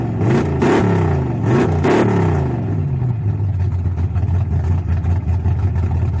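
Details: Chevrolet S10 with worn-out 305 V8, carburetor refitted after sitting six weeks: a couple of revs, then lumpy idle with loose uneven clatter and stumbling beat; rocker tapping badly and a dead cylinder miss, cause suspected, not confirmed.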